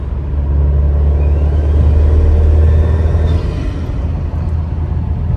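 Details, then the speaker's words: Subaru daily driver with an abnormal noise under boost, cause not found after fitting Perrin parts: turbos spool, then a loud rushing hair-dryer-like whoosh as the bypass valve opens, with some rev hang; turbo whoosh under boost. "You can hear the turbos spool. And then as soon as the bypass valve opens up, kind of sounds like a hair dryer going off."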